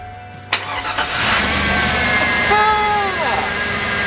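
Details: Baja Suburban after the gas leak was fixed, the fuel tank reinstalled and the rear brake line replaced; the fuel pump is heard running. A short crank, then the engine catches within a second and settles into a steady, even run: a clean, healthy start.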